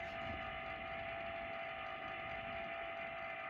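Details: First-generation Carrier wall-mounted ductless air handler: steady loud whirring roar with a strong tone from the indoor blower motor, diagnosed as far too loud. The whole head is being replaced with a second-generation unit.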